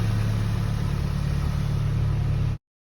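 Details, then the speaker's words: 1998 Nissan Silvia (240SX) that came in with low fuel pressure, after a new fuel pump, filter, injectors and rail, now a flat 40 psi versus under 15 before: deep, steady hum with an even beat, no stumbles; idling smoothly. "Everything's running top notch. Listen to this baby. Hell yeah, boy."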